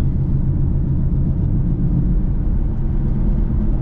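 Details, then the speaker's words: 2005 Pontiac GTO cruising: steady deep droning roar under road noise that goes quiet when turning left; worn wheel bearing. "see it gets quiet when i turn that's the wheel bearing see if I go left right if I turn left it gets quiet oh my that's horrible"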